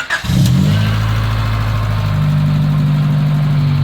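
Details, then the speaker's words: Honda Civic with Hiest body kit, stock headers and muffler, after reassembly and fluid fill: short crank, then smooth even low idle; idle drops as it should, fans switch on around 175-180, no issues. "up, runs fine. Idle drops down like it's supposed to. No issues, no problems."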